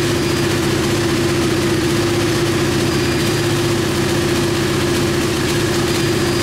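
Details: KTM Duke 125 single idling smoothly and steadily with an even mid-pitched hum, no stumbles or ticks, on the lift after starting. It came in hard-starting/not starting despite spark; the diagnostic scan found no faults. Healthy idle.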